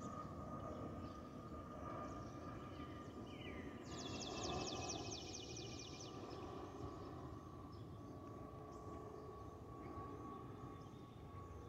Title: Delta Airlines Airbus A320-212 N350NA DL1167 LGA-DTW (FOPP whistling sound)